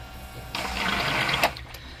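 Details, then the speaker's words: Pump check: a sudden one-second gush of water over a low hum as water is pumped out; pump working normally. "Let me see if I can get some of this water out. Pump works."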